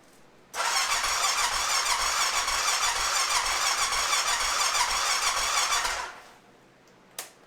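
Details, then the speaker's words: 2005 Honda TRX650 Rincon, 650cc single-cylinder four-stroke, tank full of fresh fuel, tried with and without choke and with the on/off thumb switch: fast, steady starter churn for five seconds with no catch. Cranks but won't start; fuel delivery suspected. "okay so my initial inkling is that we may have a fuel delivery issue"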